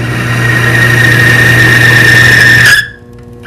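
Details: Timken-style bearing lubricity test, each pound on the lever adding 100 lb at the contact point: loud steady high squeal for nearly three seconds over motor hum, then cuts out; metal-on-metal as the lubricant film breaks down.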